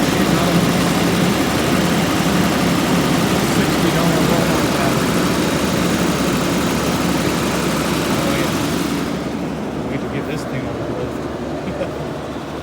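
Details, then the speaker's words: 1989 Jaguar XJ6 Vanden Plas on its first start in years, on a new battery: the engine idles with an uneven, wavering low beat of about four pulses a second and settles slightly quieter. Rough idle; owner suspects the intake needs cleaning. "Still got a weird idle."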